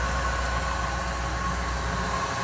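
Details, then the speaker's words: 1997 Ford Econoline E-150 van, 5.4L 2-valve V8, idling with a steady low rumble and no belt squeak after pulleys were cleaned and silicone grease dabbed on the crank pulley. "Throw your belt on and we'll see what happens. And there we go. Squeak is gone."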